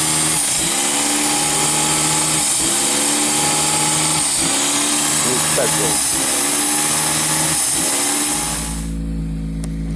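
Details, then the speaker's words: Toyota Celica 2.0 ST cold start after two years parked with hardly any fuel: steady run with a pulsing hiccup about every two seconds over the engine note, put down to the very low fuel. "noise was just very little fuel in the car so do not worry"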